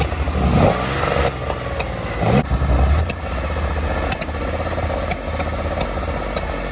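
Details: 1970 Porsche 911 with Zenith 40 tin carburetors, air cleaner off, that won't idle on its own. Lumpy, uneven idle with sharp irregular backfires out the carbs. Valves were adjusted 500 miles, about two years, earlier and the car sits mostly unused; idle circuits are to be cleaned.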